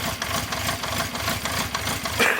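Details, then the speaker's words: 1974 Honda CB350 Four, laid up 20 years with carbs previously refurbished, idling on choke: lumpy, stumbling idle as if only two cylinders fire, then it cuts out; misfire from blocked pilot jets. "Sounds like it's only running on 2 cylinders."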